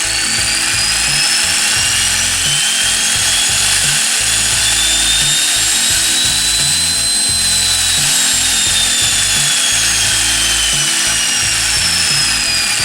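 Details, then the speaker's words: Angle grinder (non-induction motor) run through a dimmer speed controller, speed wound from low to high and back: high whine climbing then falling in pitch; normal speed variation, the dimmer controls it. "Nah, perbedaannya adalah ketika dicoba di mesin gerinda atau bukan motor induksi seperti ini sobat, bisa kita kontrol speed mulai dari low speed ke high speed."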